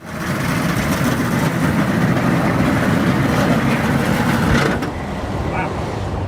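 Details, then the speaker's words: Cheap auction military Humvee diesel at mile zero of a 1,500-mile drive home: loud, rough idle with an uneven chuffing puff over the engine note; noticeable crankcase blowby. ">> What is that sound? >> The blowby that we weren't worried about."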